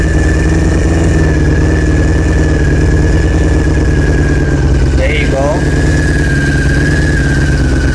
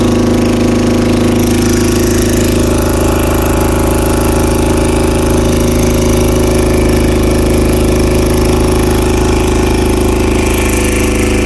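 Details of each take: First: 2000 Honda CBR600 after the leaking carb intake boots were fixed: steady, even idle settling at about 1000 rpm with a smooth low burble and no hunting. The vacuum leak is fixed and throttle response restored; normal idle. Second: 2000 Honda CBR600 with carburetors holding a steady fast idle. A carb-cleaner spray test found a vacuum leak at the intake boots, with all four leaking. It started slowly and had no throttle response below about 1500 rpm; the fix is new boots.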